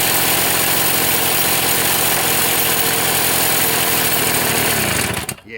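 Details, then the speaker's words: Old Toro two-stroke snowblower after plug possibly fouled and low compression noted; raspy uneven running about four beats per second at lowered rpm, then cuts out: low rpm rough running. "up fellas you hear it something's not right notice that the RPM was lower we'll just see you again she don't feel well"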